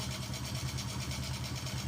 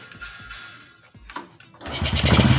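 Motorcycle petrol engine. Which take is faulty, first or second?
second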